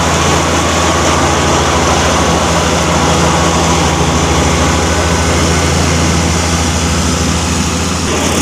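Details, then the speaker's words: John Deere F925 mower after the electric clutch and rear main seal were replaced and the belts tightened: even, steady drone at constant speed with no knocks, slipping or grinding; runs healthy. "So I guess the only thing to do now is start it up and see if it leaks any oil and see if the new electric clutch works."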